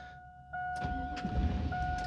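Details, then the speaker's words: GMT800 Chevy Avalanche/Silverado truck after PCM replacement, on the first VATS relearn crank attempt with a battery tender connected: a steady electrical tone, then a short burst of starter cranking that never catches. The security light comes on, and the anti-theft lockout prevents start. "and it fails leave it in the on position security light should come on"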